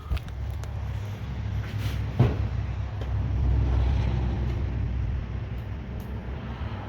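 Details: 1987 Toyota 4Runner 22RE engine after rebuild, fuel confirmed, new distributor cap, no coolant yet: steady starter cranking with only a faint sputter, never catching; won't fire; untested cold start injector questioned.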